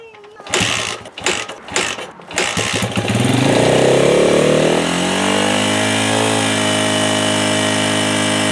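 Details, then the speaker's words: 1996 Honda XR100 single, non-starter after sitting 2 years, after carb cleaning and refilling with fuel: a few kicks, catches on second kick, revs up and settles into steady, fast, even run; still needs carb tuning. "Getting this bike going was just the first step in getting it to run right."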